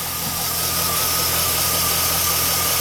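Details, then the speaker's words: 2007 Chevrolet Silverado Classic LT idling with newly replaced alternator: a steady thin mid-high whine over the smooth idle as it recharges a battery at about 60% charge; the old alternator didn't sound like that; normal alternator whine under charging load. "You hear that noise? That's exactly what that is. That's motion being converted into electrical energy."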